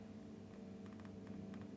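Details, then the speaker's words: 7-string guitar with Fishman Fluence Modern pickups fitted elsewhere: steady low electrical hum with a buzzy edge; touching jack drops it, touching strings doesn't, touching bridge slightly louder — no proper ground from bridge to shield (missing bridge ground). "if I actually touch the jack there the noise drops considerably so that says to me there's probably no proper ground from the bridge to The Shield or something akin to that"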